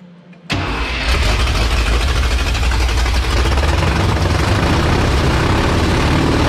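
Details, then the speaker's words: 1977 International Scout II V8 with no exhaust, first proper run after restoration: quick crank, catches at once into a loud even deep open-pipe rumble; engine healthy. "there you go this thing's finally running again sounds great i knew that motor was going to be healthy and i'm glad that we could finally hear it"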